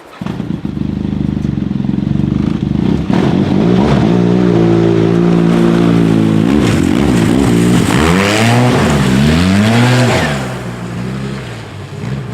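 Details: 2010 Arctic Cat Z1 turbo after swapping the heavy, overheating OEM muffler for an aftermarket exhaust: starts, then settles into a loud throaty idle, and several clean revs rise and fall smoothly with no popping or rattle. Healthy running.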